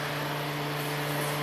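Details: 1997 Toyota Celica convertible, 232k miles, engine off with key on; steady electric fan hum and whooshing airflow; radiator fan always runs with key on, fan relay suspected; cooling fan runs constantly with key on.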